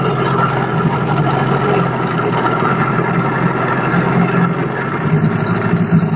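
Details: Engine idling steadily with a dull knock under the running sound; knocking inside, cause unclear.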